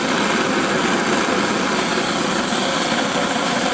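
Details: Antique paraffin blowlamp, newly assembled and tested outdoors: a steady, even hissing roar with no sputter or pulsing and a little wind gusting over it; the burner is running properly.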